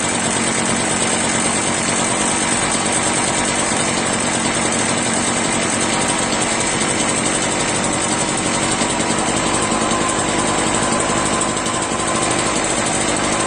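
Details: Echo PB-403T backpack leaf blower found in trash: steady high buzzing two-stroke run with a slightly uneven edge; keeps running, but owner thinks it needs a new carburetor and doubts it would restart.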